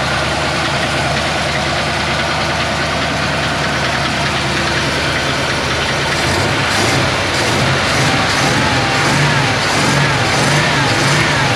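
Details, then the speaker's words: 1977 Chevy C10 with an electric fuel pump and carb, first start: rough idle with a rhythmic clatter rising until it dies; owner suspects a bad rod or the transmission; finding is a cracked, misaligned flywheel causing flexplate knock. "I don't know if you guys could hear it go it's quite like like like like and then it dies so either it's got a rod that's going bad or I think"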